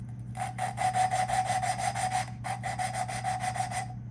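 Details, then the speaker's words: Honda CB360T engine rebuild, lapping a valve with compound: quick back-and-forth gritty scraping strokes about three a second with a pause; the seat still sounds gritty and needs more lapping until it turns to a lighter sound. "can hear that grittiness and it should change to a lighter sound they're changed to that lighter sound then you'll pick up the valve remove it 90 degrees and do it again and it should sound different"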